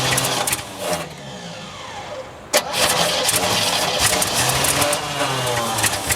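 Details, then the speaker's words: 1967 Chevy one-ton pickup, just bought, first start attempt after gas was poured into the tank. Starter churns the engine over steadily with a few quick chuffs but it never catches. No fuel reaching the carburetor; an auxiliary fuel tank was then hooked up. "that no fuel Let's uh why don't we hook up an auxillary fuel okay"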